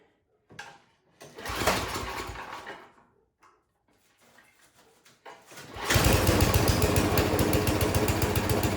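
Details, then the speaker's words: Yard Machines 24-inch snowblower with a Tecumseh 8 hp engine, running after carburetor cleaning: pulsing, uneven beat that hunts instead of settling. Still surging after cleaning; new carburetor to be ordered. "All right, I don't like it. Even after cleaning it, you can hear it surging there. It is not running right."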